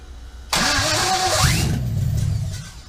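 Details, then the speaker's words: LS1 V8 in a 1965 Chevy C10 short bed project, first fire after days of wiring diagnosis, parts still unhooked; starter whirs, engine catches instantly and runs evenly about two seconds before shutoff. "If this thing does fire, I'm only going to let it run for a second because we have half the stuff unhooked at this point."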